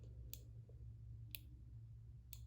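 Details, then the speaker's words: Omnipod insulin pod filled with about 200 units from a pen, held close to the PDM after pressing next: faint single clicks about one second apart in a quiet room. The pod is priming normally. "And then you'll press next and make sure the pod and the PDM are close together so they can connect. And you'll hear this clicking noise."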